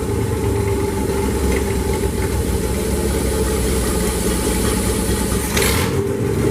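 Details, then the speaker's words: Newly hand-built engine for a 1976 Chevy, bored .040 over with full roller cam, roller rockers and hydraulic roller lifters, test run before install: steady, even low rumble with no knocks or misses; sounds healthy. "There you have it, guys. Fired right up. Run like a champ. Sounded healthy. Sounded good."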